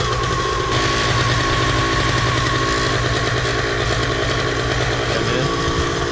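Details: Miniplane Top 80 paramotor two-stroke after replacing the ignition wire: crisp, even buzz that holds steady with no misses or stumbles; normal running.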